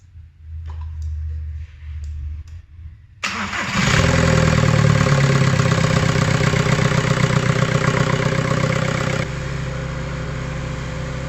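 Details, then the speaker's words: VW 1.9 TDI PD105 (BKC) in a Mk5 Golf after turbo replacement and EGR valve/cooler delete: starts first crank, steady even diesel idle with no knocks or hiss, no leaks; normal idle. "There's no leaks underneath, so that's all good."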